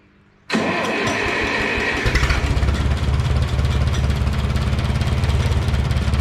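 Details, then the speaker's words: 1969 Minneapolis Moline U302 tractor after engine rebuild (new rings), first run in 8 months after points work: quick crank, fires instantly, settles into low, steady, even idle with no knocks; healthy. "Although neighbor Carl did a lot of help too, but finally got her to fire up. So this is what she sounds like."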